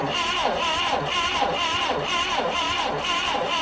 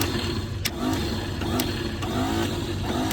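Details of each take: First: Old Clark forklift bought at auction, starter taken apart and powered from a jump pack: strong, regular cranking beats about once a second with no dragging or clicking; cranks well, distributor still to be checked. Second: Old Clark forklift bought at auction, engine not locked up, key missing: starter whirs freely with rising pitch and clicks about every half second but engine never turns; Bendix drive not engaging, switch wiring possibly faulty.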